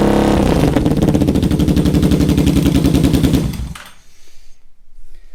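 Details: Salvage Yamaha Vmax V4 motorcycle, starting and running: loud, even burble with a steady firing rhythm, no knocking or misfire, then shuts off. Owner says it sounds healthy.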